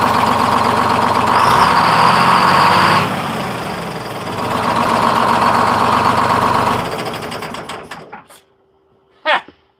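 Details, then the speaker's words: Freshly in-frame rebuilt 671 diesel in a 1948 GMC Silversides PD3751 Greyhound bus, first start, running smoother than ever. Catches and idles evenly with a steady beat, revs briefly, then winds down to a stop; normal idle. "I'm impressed. Runs smooth. Runs, that's smoother than it's ever started before, and it runs nice and smooth."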